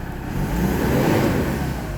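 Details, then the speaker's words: Mazda BT-50 after fixing no-crank no-start, in engine bay, charging 14 V; engine picks up at once, rises smoothly to a strong rev and settles, no hesitation or misfire; quick throttle response. "Hindi siya delay reaction. So goods na good. Goods na goods itong engine na to ah."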